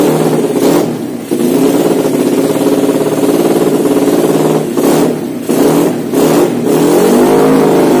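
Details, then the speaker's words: Honda Win motorcycle with Vega engine, newly fitted PE26 KW carburetor, untuned, no road test: single-cylinder picks up cleanly on several blips and settles to a steady idle without stumbling. Runs properly. "di punggung oke itulah videonya dan kita tadi review sekaligus langsung pasang dan tanpa menyeting kartunya sudah enak"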